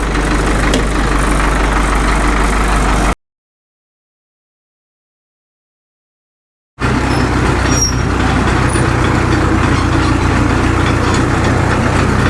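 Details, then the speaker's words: Caterpillar D2 (5J1113) diesel chasing an intermittent pop, after swapping in another injector: slow even idle chug about 220 beats a minute, no popping heard; running clean and better than ever. "I'm not getting that pop anymore. I think this sounds better now than it has since it's ran. I like it."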